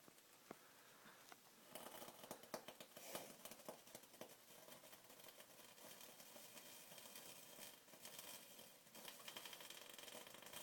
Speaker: the [ __ ] is that noise hole up my freezer is making some [ __ ] weird noise